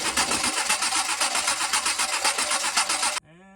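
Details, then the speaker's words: Compression test on a carbureted stroker engine with smoke, tester fitted to a plug on one bank: even starter cranking with steady compression pulses about four per second, then it stops; reading about 155, engine turns over evenly. "Alright, compression tester is all hooked up. Gonna go ahead and crank the motor over now."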